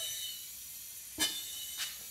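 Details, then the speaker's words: Smoking Briggs & Stratton engine on John Deere zero-turn mower, leak-down test: air pressure pushes the piston down slightly, cracking the exhaust valve; steady thin hiss with two louder puffs as air escapes past the exhaust valve, caused by the engine turning. "it pressurizes the cylinder but it also pushes that piston down just a touch and it allows air to come out of the exhaust valve"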